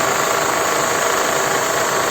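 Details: Mercedes M111 engine: constant tinny rattle at steady revs that seems to come from the valve cover but is the worn crankshaft pulley damper; sound changes when the throttle is blipped.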